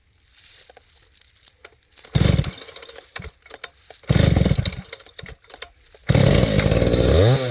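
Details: Husqvarna 285 (85cc) two-stroke chainsaw after a seal replacement and a shortened bar, cutting wood: three strong revving bursts with clean pickup, no bogging or stalling; no longer stalls as before.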